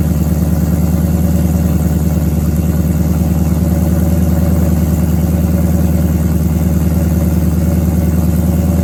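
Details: Ford Coyote V8 swap, first start after sorting Ford Performance control pack issues and exhaust: deep, even V8 burble holding a smooth, steady idle with no knocks or misses; engine sounds healthy.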